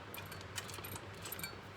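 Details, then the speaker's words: Honda CT110 Postie engine turned slowly by hand gives loose, irregular light metallic rattles and ticks: the cam chain is bouncing around, worn and stretched, with its tensioner already at full adjustment. "that is the cam chain bouncing around um it's worn out basically it's stretched it's at full adjustment and um it's stretched"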